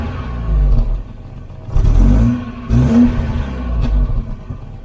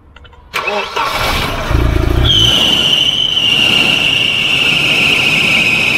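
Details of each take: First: Volvo 240 wagon (245) petrol four-cylinder, revived after standing for years: revs up in a few blips and settles to a low, even hum, running nicely. It needs fresh oil and is perhaps slightly rough. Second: Volvo 240 wagon (245) abandoned for years, first start with old varnish-smelling oil; catches after brief crank into slightly uneven idle with thin high whistle; owner says a little rough, needs fresh oil; rough idle.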